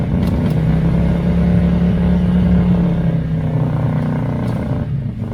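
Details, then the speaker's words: 1982 Chevy El Camino, V8, carburetted, dual pipes, long stored, just started: deep burble that loads up and wavers, stumbling as revs drop; owner suspects the carburetor, possibly timing slightly off. "so i don't know it might be out of time a little bit but i think it's just i think it's more in the carburetor"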